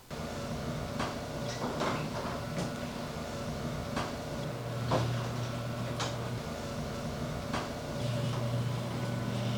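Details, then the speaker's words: AMARR garage door after installing Green Hinge System springs (nylon rollers): smooth steady opener drone with only light occasional panel taps, no rattle; runs much smoother and quieter than before. "In my honest opinion, the garage door operates much smoother and much quieter now."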